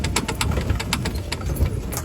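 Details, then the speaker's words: Electric four-wheeler, about a year old, while driving and also with wheels jacked up unloaded: low rumble with light tick about five times a second near the motor; suspected worn bearing or gear in motor or differential. "这台车行驶的时候，大概就是电机这个位置有异响，我们听一"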